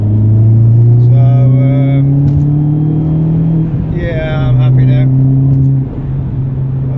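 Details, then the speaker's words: Driving an R56 Mini Cooper S after corroded front discs from a winter lay-up were cleaned with a Scotch-Brite disc: steady rumble with no squeal, scrape or knock from the brakes. Noise is gone and brakes are normal. "now they're just fantastic again performances back the noise is gone the pads are looking good and the rotors are clean"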